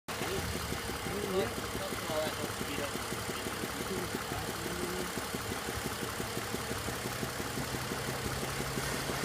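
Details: BMW 330i petrol engine idling with a slightly uneven beat and occasional stumble; slight misfire, no check engine light, rpm unchanged, cause unknown.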